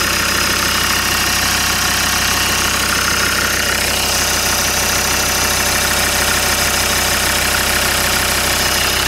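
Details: Land Rover Discovery 2 diesel after injector loom replacement (new plug fitted), SRS airbag light on: steady idle clatter with no stumbles or skipped beats; running smoothly on all cylinders, no misfire.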